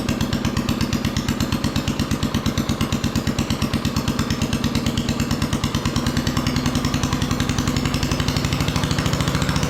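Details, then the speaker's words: Old single-cylinder trike on its first start with choke on, governor disconnected and throttle linked directly. Loud, uneven chug that loses beats and sags as if about to die before stalling: rough running, nearly stalling. "sounds like it's going to die but the trans works and everything"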